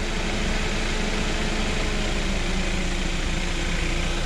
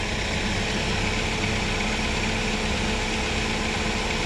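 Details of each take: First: Chevrolet Spark/Beat after replacing the radiator fan low-speed resistor (GM 96656660): a steady, even whoosh of the cooling fan holding on low speed over the idling engine after high speed cycles back. The fan now works normally. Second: Chevrolet Spark/Beat idling: a loud, steady radiator fan roar on high speed that never drops to low and then stops completely. The low-speed fan resistor (GM 96656660) stays cold and has failed.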